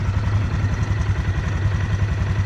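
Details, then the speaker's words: Yamaha Grizzly 600 single-cylinder quad just after switching from 5W-40 to 15W-40 synthetic oil, still warming up: even, quick thumping idle with steady rhythm and no ticks or knocks; quiet, healthy idle. "what do you guys think she sounds good so far she sounds pretty quiet too which is nice"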